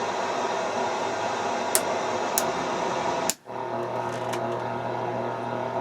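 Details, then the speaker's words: Marantz 2250B 1970s receiver during tuner alignment, AM band tuned across dial with no antenna hooked up: hiss, crackle and steady low hum from lots of local RFI; AM otherwise sensitive, picking up distant stations. "a.m lots of stuff here creating rfi"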